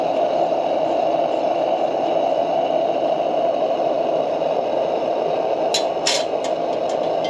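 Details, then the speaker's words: Military 252A lantern burning cleanly at full pressure once it has settled, with the valve opened and no extra pumping. Steady, even hissing roar with no sputter or surging; normal lantern roar. "Once it settles down, starts to burn some of that out, I'll crack that valve open and she'll sing. And there she is. On full pressure."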